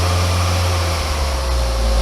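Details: Barn-find Austin Allegro A-series carburetted engine, off the road for years, being started before the drive home after fuel priming for its small float bowl: short, steady idle with a smooth even hum, no ticking or rattles; healthy running.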